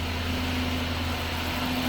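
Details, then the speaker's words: 2007 Chrysler 300C 5.7 Hemi that sat 6–7 years, previously stuttering and not firing on all cylinders: after a new fuel pump and cleaned injectors, it idles with an even steady hum and no stumble or misfire. Normal idle. "Oh yeah, she running. She running smooth now."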